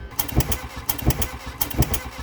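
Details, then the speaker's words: Mk1 Volkswagen Golf, a paddock find, after fitting a replacement coil: three slow heavy thumps about 0.7 s apart as the engine fires one compression but fails to catch. "well that could classify as running it doesn't but it does it's making some really interesting noises I've never heard those kinds of noises from a car before"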